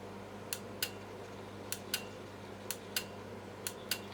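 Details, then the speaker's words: 12V automotive 30 A relay on the bench, fed about 7 V from a power supply through a push switch to coil pins 85 and 86. Crisp paired pull-in and drop-out clicks about once a second over a faint hum; the relay coil is switching cleanly. "that's that solenoid clicking in and out that we were talking about before. So that's that little solenoid pulling and pushing that big solenoid that will switch 30 amps in and out."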